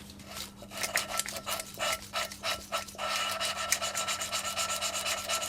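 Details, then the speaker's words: Mini engine rebuild: quick gritty rasping strokes, about four a second, as a valve is lapped back and forth into its seat on the cylinder head, grinding in nicely. "and you you can kind of hear that's grinding in quite nicely now"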